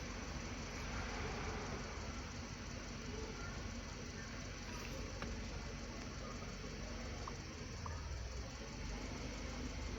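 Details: 2010 Subaru Liberty with intermittent crank-no-start, restarted successfully during testing: quiet steady idle with even hum, no misses, knocks or surges; normal idle, ECU (chip IC 705) suspected for the fault.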